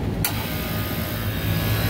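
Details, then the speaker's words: Walk-in freezer condensing unit in 110°F heat, after replacing a bad right condenser fan motor that caused high-pressure cutouts and compressor thermal overload: contactor clicks in, then a steady low hum with no stalling or buzzing: normal compressor start. "she goes she is running now we're gonna watch that head person climb because it is 110 outside right now"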